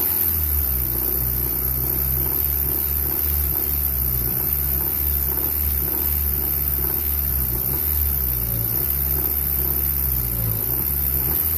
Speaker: got a 1994 Honda Accord 2.2 VTEC rod knock noise. See if I can get her to make it for you.